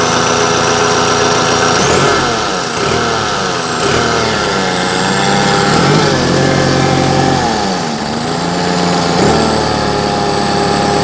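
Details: Perkins diesel engine after repair: runs smooth and even through a couple of light throttle blips, with a steady rhythm and no knocks or rattles. Healthy.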